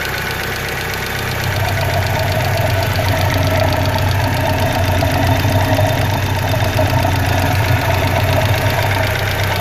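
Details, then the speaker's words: 1995 Mitsubishi Eclipse GST idling after clutch replacement: a light, fairly quick, uneven but persistent tick rides over a steady low idle; owner suspects a lifter tick, with good oil pressure and a little blow-by noted. "You have a little bit of a lifter tick or something going"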